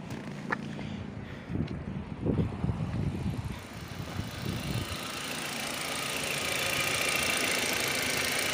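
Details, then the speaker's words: SEAT Leon mk1 1M 1.8T with new TiAL blow-off valve: uneven idle with irregular chuffing hiss turning into steady airy leak when revved; valve seems to stay open and not seat, spring to be swapped. "Vamos a acelerar a ver qué tal se escucha. ¿Ven? Como que tiene fuguilla."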